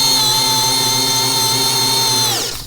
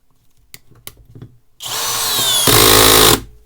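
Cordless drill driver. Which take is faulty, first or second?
second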